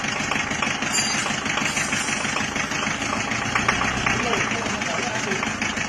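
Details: Diesel after new liner, piston rings and mechanism fitted, previously run out of coolant; harsh uneven clattering knock about three per second at idle, traced to a dead injector nozzle.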